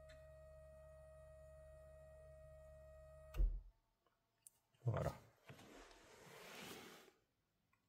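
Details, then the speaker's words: 2011/2012 VW Passat estate 1.6 TDI CAYC, diagnostic-commanded fuel pre-supply pump test during service: steady low electric hum with faint high whine for about a minute, then cuts off cleanly; normal priming cycle. "Donc on l'entend toujours fonctionner. M. Ça dure approximativement une minute, je pense."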